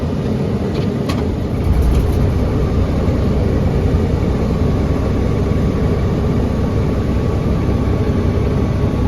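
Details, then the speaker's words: 1994 Pierce fire engine, just driven in 30–50 miles: deep, steady diesel idle rumble with no knocks, misses or hunting; runs really well. "Runs really well."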